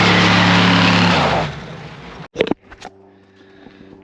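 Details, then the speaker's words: 1966 Ford F100 302 with AOD, Edelbrock 4-barrel carb and intake, tuned: strong even engine roar settling quickly to quiet smooth idle, no knock or miss; engine running normally with more power. "I mean, you know, by the ass dyno, it seems like it's a lot faster."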